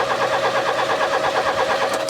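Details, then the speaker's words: 1996 Rover 216 SE Cabrio, abandoned roof-down nearly a decade; after immobilizer removal and battery disconnect, starter churns in a quick, even warble for two seconds but engine never catches; crank no start, immobilizer implicated. "I disconnected the battery and now it's not fine anymore and we can't can make the car start now"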